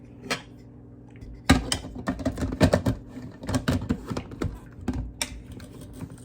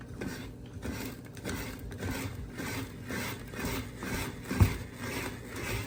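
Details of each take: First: Cuisinart Food Spiralizer cutting a russet potato with the holder on a spiky setting: irregular crunching and scraping bursts as the crank turns, with no steady cutting. The potato won't advance and the blade just chews through it; the wrong holder setting jams it. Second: Cuisinart Food Spiralizer cutting a whole russet potato after the holder was turned from the spiky setting to match the round grooves: steady, even, unforced rasping strokes with no catching. It is slicing normally and fast.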